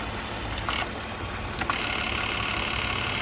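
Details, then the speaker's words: BMW Z3 Roadster engine at idle: constant high whirring grind over steady idle, like gears rubbing inside; noise stops when the electronic throttle actuator is disconnected, found behind the intake tube; faulty throttle actuator gear noise. "Como si tuviera por dentro un engranaje que el cual está rozando los piñones."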